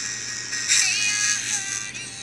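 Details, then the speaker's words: HTC EVO 4G phone loudspeaker, before the needle fix, plays music thin, harsh and buzzy even at low volume: a "blown" distorted speaker. "you can tell here how it sounds sounds pretty bad even at low volume"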